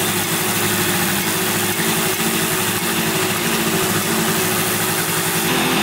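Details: 1971 Yamaha CS200 two-stroke twin, sat over 17 years, on its first start attempt: ragged, uneven idle with a missing pulse, seemingly running on one cylinder. Owner suspects one cylinder isn't sparking; spark was later found and left-cylinder compression read 125 psi.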